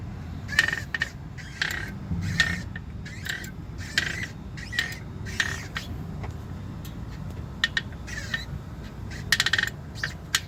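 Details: 2016 Jeep Wrangler JKU, warm after about 30 minutes of city driving: low engine rumble with loud, repeated high scratchy chirps and clicks from the clutch, once or twice a second; known issue.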